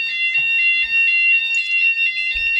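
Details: 2008 C-TEC Firesafe conventional fire alarm panel weekly test, Fulleon Squashni G3 sounders triggered by a CQR FP2 manual call point: loud high-pitched alarm tone pulsing steadily several times a second; sounders working properly.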